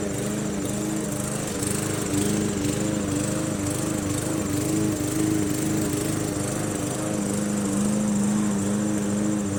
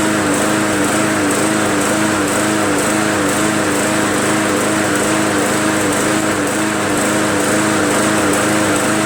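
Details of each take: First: MTD Yard Machines 20" push mower, Briggs 300E, cutting grass after carb clean, throttle spring adjustment and draining water from the gas tank: steady drone holding even pitch, no dips or stumbles; normal running under load. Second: MTD Yard Machines 20" push mower, Briggs 300E, just restarted after carb clean and draining water from the fuel tank: high steady drone swelling and dipping about once a second, mild idle surge; owner suspects carb still not fully clean or governor spring needing adjustment.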